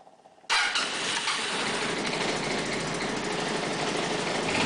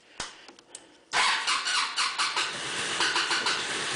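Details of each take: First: MC54-250B scooter, Yamaha clone engine, about 38°F morning cold start after replacing vacuum fuel pump with electric pump: starter whirs briefly, engine fires at once and settles into smooth steady idle; normal cold start, fix confirmed. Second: Cold morning start on an MC54-250B scooter with Yamaha clone engine: a few clicks, then repeated cranking bursts that never catch; engine appears not to be getting enough fuel, vacuum fuel pump to be replaced with electric pump. Problem since first day.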